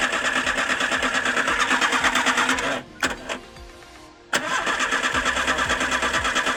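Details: VW AP 1.6 Total Flex engine after head rebuild and new rod bearings, oil light flickering at warm idle: light even tapping about three times a second from hydraulic lifters starved of oil pressure.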